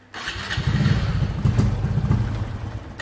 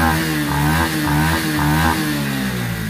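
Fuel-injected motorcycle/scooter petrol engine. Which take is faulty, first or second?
first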